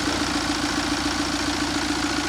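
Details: 2013 Mini N47 diesel, first run after timing chain job and engine refit, no mass airflow sensor fitted: steady diesel idle with even, rapid clatter (tappets expected clattery), no misses or surging; engine running normally.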